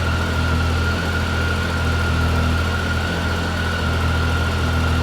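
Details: Hot idle on a 2013 Triumph Tiger 800XC (21,569 miles) after a new OEM starter fixed its hot no-crank problem: steady, even low idle with a faint constant high whine above it, no misses or knocks. Normal healthy hot idle.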